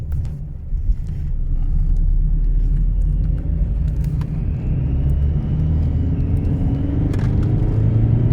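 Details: 2009 Skoda Superb 1.9 TDI after BLS to ASZ engine swap: diesel rumble with a thin high chirp that rises and wavers; car goes into limp mode with code P2279 intake air leak; chirp source unclear.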